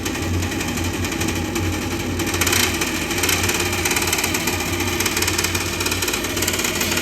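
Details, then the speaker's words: Gas furnace running after a gas leak was found: steady fast buzzing rattle over the running hum, the draft inducer sounding about to come apart; the inducer needs replacing. "this thing's about to sounds like it's about to come right off"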